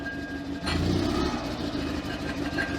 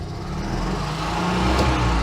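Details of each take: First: Invacar two-stroke after a new throttle cable, first start in a long time on a jump (battery at 10 V): it settles into a steady, even idle with no misses. The throttle is slightly sticky. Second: Invacar TWC small two-stroke, first start in a long time after fitting a new throttle cable, on jump start: engine keeps revving, won't return to idle and must be shut off; sticky grease in the outer cable sheath suspected.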